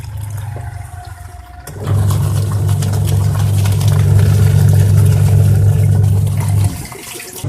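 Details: Washing machine that was leaking and running rough, being repaired: steady, even low hum for about five seconds with no knocking or scraping, motor turning smoothly.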